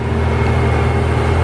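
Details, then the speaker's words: 1991 Toyota Supra Mk3 7M-GE non-turbo after alternator replacement and belt tensioning: steady even idle, no belt squeal or chirp; brake warning light now out. "No squeaking. Engine running perfectly."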